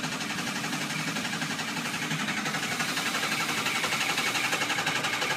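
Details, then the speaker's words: 2006 Ford Econoline 6.0 Powerstroke diesel, crank no start: steady starter cranking about four beats a second with no firing; IPR at 85% but no ICP build and no base oil pressure; pressure relief valve to be checked for binding or debris. "still nothing I have absolutely no oil pressure and you can also hear that when they don't have good oil pressure"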